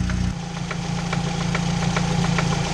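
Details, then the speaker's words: 2006 Chevy Cobalt LS 2.2L: at idle a sharp, regular tick about twice a second comes from around the oil pan area, suspected to be a typical rod bearing knock. "Alright guys, we got her fired up. I don't know if you guys can hear that very well. You guys hear that ticking noise in there?"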